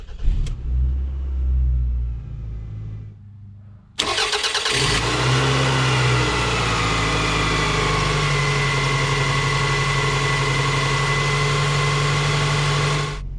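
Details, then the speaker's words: 2001 Toyota Camry 5S-FE, engine fully cold, after repair work on the cold-start fault: fires within a second of cranking and settles straight into a steady, even idle with a faint hum; clean normal cold start. "so it really seems like we resolved this situation let's try it again"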